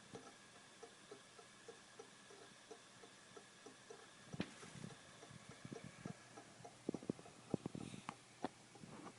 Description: Brand new Western Digital Caviar Green 2.0TB SATA drive. Clicking every second.